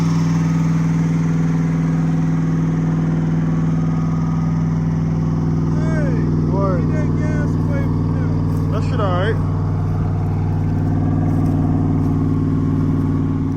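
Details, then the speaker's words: 1988 Oldsmobile Cutlass V8 project car that fired on gas poured in the carburetor, now with gas added to the tank: steady, even low idle with no knock or miss. The original fault is still unknown. "I cut it off, then went to the back and put some in the tank and it it cranks."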